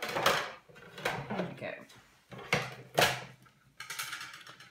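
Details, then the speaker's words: Big Shot die-cutting machine cranked by hand: uneven scraping squeaks with each pull and a faint ratcheting underneath; owner thinks it needs oil. "but you'll hear the squeak I'm afraid my big shots a bit squeaky at the moment I think it needs an oil"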